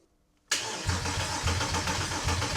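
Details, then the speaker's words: Porsche Boxster after engine swap from a parts car, no exhaust fitted, charged booster: steady rapid cranking churn that never catches; crank no-start. "That sounded promising. So, although it smells like there's a lot of fuel fumes from the engine, I just sprayed some brake cleaner in the air filter, and yeah, it looked like the engine wanted to start."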